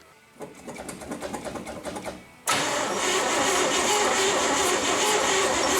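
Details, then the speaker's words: 1970 International 1200 pickup that sat 30 years, after a battery swap: cranks about three a second, catches and settles into an uneven, busy idle; owner thinks a plug is sticking, and a stuck carb float is overflowing fuel out the vent; carb needs rebuilding. "Plug's sticking, I think. Float stuck in the carb. We're just overflowing, dumping fuel out the air vent."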